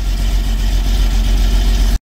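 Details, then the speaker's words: Jaguar Series 3 V12 with fuel tank and changeover valve problems, running on an auxiliary tank with a whining fuel filter thought to still hold dirt: loud, lumpy, uneven rumble just after starting; running rough, cause unconfirmed. "got us started uh she's running pretty rough uh but at least she's sucking fuel"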